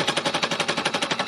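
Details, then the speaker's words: Free-machine embroidery: needles hammering rapidly, about eleven sharp metallic blows a second, through a stiff thick stack of embellished leaves that were then stitched, creating a thick layer for the next one. "you hear that banging noise that means i've got quite a lot of thick fabric here now because i embellished the leaves on and then i've stitched them it's created quite a stiff thick fabric"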